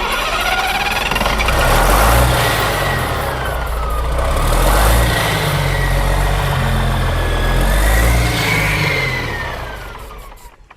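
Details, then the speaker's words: Diesel with injector lines cracked loose to bleed air gives slow, even starter cranking at about four turns a second with only faint coughs. No fuel comes out of the lines: fuel starvation, cranks without starting. "Come on, man, Hank. Sorry. Ready? Okay. I ain't getting no fuel."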